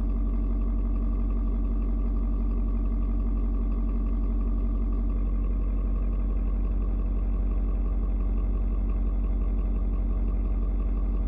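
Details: Ford Super Duty 6.7 diesel, cold start at 56°F. A steady, low, even idle beat that shifts tone as it adjusts fueling to the outside temperature; no knocking or misses, healthy and warming. Normal cold idle.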